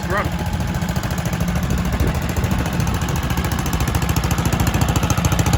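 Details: Kohler K91 single-cylinder petrol stationary engine, first start in six years after freeing a stuck float and rigging an exhaust to replace the rotten one. Slow, steady chuffing at roughly three beats a second, even throughout; runs lovely.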